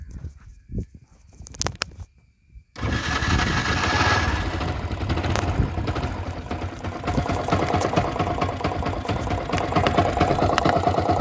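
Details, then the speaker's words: Yamaha R15 version 1 motorcycle engine running; loose metallic rattle ticks about twice a second; timing chain rattle, with the timing chain tensioner the first thing to check for the fix. "So இப்போ நீங்கள் கேட்டிங்க sound, இந்த sound வந்து எதனால் வருதுன்னா, இந்த sound வந்து of course timing செயினால தான் வருது."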